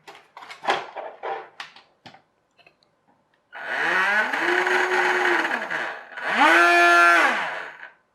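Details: RNLI Severn Class RC lifeboat by Zappies, twin brushed drive motors on a large 3S LiPo via adapter (owner fears ESCs may overheat): two bursts spin up, hold steady pitch, wind down smoothly; running evenly.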